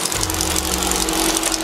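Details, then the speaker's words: Volkswagen dune buggy sand rail, air-cooled 1300cc: steady even idle with consistent patter, no knocks or misfires; sounds good, though a slight smell of oil or gas in the oil and a broken throttle cable are noted; normal idle. "Little 1300cc, still sounds good. I smell a little bit of oil or gas in the oil."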